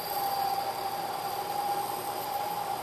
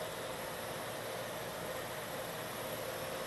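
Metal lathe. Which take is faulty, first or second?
first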